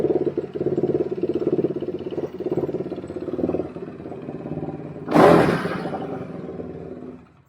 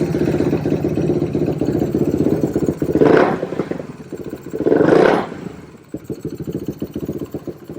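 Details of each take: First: Quadracer LTR450 single-cylinder ATV after cleaning the dirty fuel injection system and removing the inline filter: quick, even thumping idle with one clean throttle blip before shutoff; normal healthy idle. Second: 2007 Suzuki LTR450 quad that won't take throttle, possibly loaded up from cranking: single-cylinder runs rough and lumpy, twice bogging flat when throttle opens, also backfires; fuel starvation, suspected restricted fuel filter and dirty fuel injection.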